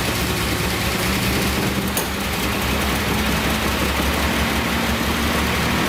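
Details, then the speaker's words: 1976 Datsun 280Z, fuel injected, first start, fuel pressure present, mouse-packed foam in exhaust: catches and holds a steady, even low rumble with no knocks; running normally, later dies as throttle seemed not to return. "Got fuel pressure. There it goes, it's running."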